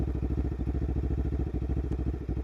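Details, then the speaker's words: Lexmoto LXR380 single with Lextek performance exhaust and new ECU, at tickover; even regular thumping with no skips or rattles, idling normally. "that's running nicely give it a rev it sounds completely normal nice"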